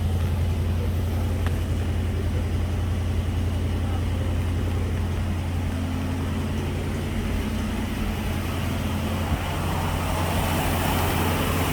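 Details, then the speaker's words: 1965 Ford Mustang V8, first start after sitting about three years, on a 650 CFM Street Avenger carburetor: steady, even low rumble with smooth lope, no knocks or misses; slightly high idle while warming, electronic choke possibly faulty. "I think we're gonna do a different exhaust, but sounds pretty darn nice, if you ask me."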